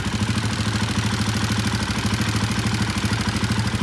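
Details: Royal Enfield Himalayan 450, about 14,000 km, idle after two-day repair: busy metallic rattle on each firing beat; top-end clatter still present, source not pinned down.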